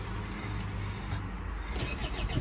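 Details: Land Rover Freelander 1 TD4 diesel started after oil service with 6.8 litres fresh oil, new filters and crankcase filter replaced by separator: brief crank, catches, settles to steady even idle with no knocks; oil pressure light goes out immediately.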